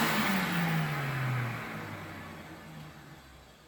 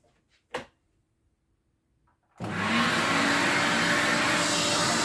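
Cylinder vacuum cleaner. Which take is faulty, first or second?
second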